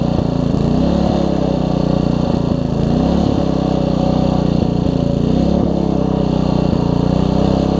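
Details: Troy-Bilt Tuffy tiller, Briggs single-cylinder engine, just fitted with a brand new carburetor: runs steadily at a fast, even beat with slight speed wander, pulling cleanly; normal running, better than before.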